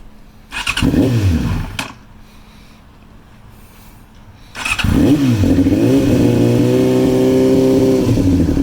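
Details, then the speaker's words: Carbureted 2002 Yamaha R6 (5EB) four-cylinder project bike after repainting, starting up again. It starts after a couple of tries, then settles to an even idle that holds steady with no hunting: normal running. "so there's the bike starting up again"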